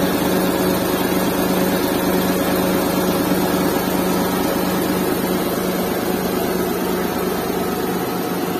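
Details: Restored Suzuki Mehran with a WagonR K6A 660cc engine and 3-speed automatic, vibration test with a glass of water on it; even, settled idle with steady low hum, no misses, knocks or shake.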